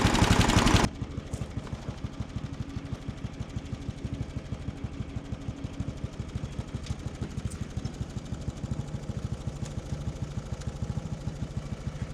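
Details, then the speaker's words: 1979 John Deere Model 68 riding mower, five-speed, running again after years, cover removed and burning oil: steady fast single-cylinder chugging under mowing load, even firing; runs and cuts fine. "It's not horrible. I ended up having to uh remove the uh cover. And things are burning up with oil, but it's fine. Um Yeah, for being a junk old mower, it cuts pretty good."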